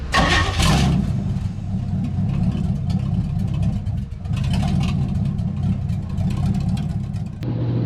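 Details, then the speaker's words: 1970 Chevy truck V8 after rebuild and secondaries adjustment on carb: catches and settles into loud, steady rumble with even firing, no misses or knocks; running well, not overheating, good oil pressure and voltage. "Well, so far it seems like it's running pretty dang good. It's loud, and it's not heating up."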